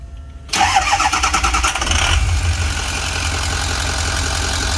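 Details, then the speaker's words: 2005 Ford E450, 6.0L Power Stroke turbo diesel, 152,318 miles: brief crank then catches right away into a steady, even high idle with no misses or knocks. Starts well, idles smooth, good oil pressure, no check engine lights. "Starts good, she idles really smooth. Got good oil pressure, high steady idle."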